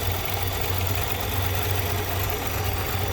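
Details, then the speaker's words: 2014 Nissan Altima, believed 2.5 L, at idle: low, uneven, lumpy stumbling rough idle that clears when revved; exhaust cam stuck out of time, setting P0014 and P0300, sometimes start-and-stall. "I think it's a 2.5 liter in this. This thing's got the good old rough idle."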